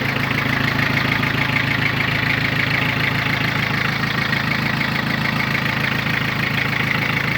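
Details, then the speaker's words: Mitsubishi MT2201 2WD rear-drive diesel mini tractor, 585 hours, glow plugs preheated: even idle in neutral with a regular patter about two beats a second, no knocks or rattles; runs smooth. "трактор практически в идеальном состоянии работает ровно работает четко нейтралочке все смотрим"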